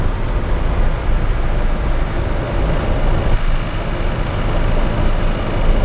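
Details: Citroen C4 Grand Picasso driving at about 1700 rpm under low load: a deep, steady 28Hz boom, one per crankshaft revolution, that stops with slightly more or less throttle; dealer calls it normal, cause unknown.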